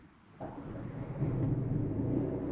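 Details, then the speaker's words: 2024 Jayco Melbourne Prestige 24LP motorhome generator started from the interior control panel, heard from inside; catches almost instantly and settles to a steady even low hum, no stumbling, normal start. "Just that quickly you hear it purring."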